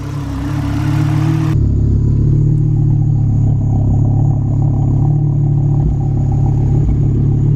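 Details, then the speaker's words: A big-turbo MK6 Golf R, started with a possibly weak battery, has a loud, lumpy idle with an uneven beat and occasional stumble: a slight misfire. Vacuum reads only about -5 inHg and it smells of fuel. The cause is not confirmed. "actually is pretty loud i'm trying to imagine my the gray are the gray art would not be this loud just idling like that it is misfiring a little bit"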